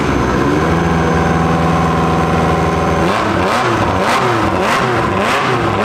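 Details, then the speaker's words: Revived abandoned Ferrari F355 flat-plane-crank V8, oil-primed and started with starter fluid after seeming flooded; loud, crisp with no exhaust fitted, holding steady then revving up and down cleanly on all eight cylinders. Normal running. "That's it, baby! It sounds so sick. That does sound really good."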